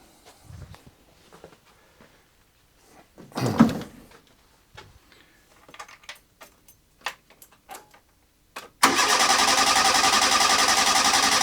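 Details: A112 Abarth test run, fed from a boat fuel tank with the mechanical pump disconnected, exhaust loosely fitted: clicks and fiddling, then it catches abruptly and runs on with a loud, steady, even roar; sounds healthy.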